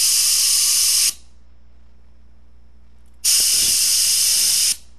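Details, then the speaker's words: Metcal desoldering gun with STDC 804 tip removing plated through-hole flat leads of a 16-pin DIP: two clean sharp steady vacuum hiss bursts, about 1.5 s each, lead moving as solder is extracted; normal desoldering vacuum extraction. "if you notice on the component side of the board you will see the lead move a solder being extracted"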